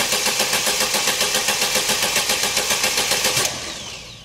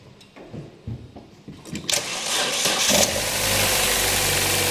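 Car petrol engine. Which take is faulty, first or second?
first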